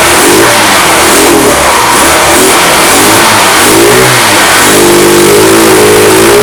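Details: Fada Wind two-stroke scooter that would not start, after spark plug, air filter and starter ratchet replacement: loud buzzy revving freely, pitch climbing and falling smoothly with throttle, no misfire or knock; running healthy.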